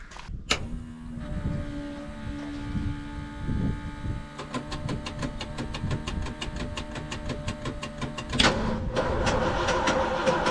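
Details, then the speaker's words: 1974 Ford F100 4x4 390FE big-block V8 started with an electric fuel pump. It cranks, catches, then stumbles with irregular popping and uneven firing, smoking and smelling of raw fuel. Rough running; too much fuel suspected. "hear all that smoke that's fuel going to quit too much fuel"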